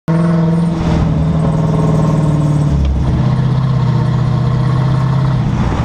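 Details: 2011 Dodge Charger, camera on left rear suspension facing the differential: steady droning whine/squeal from the rear end, pitch shifting with speed. Began only around 60 mph, now after 5000+ miles heard at all speeds, even randomly at idle cold or warm.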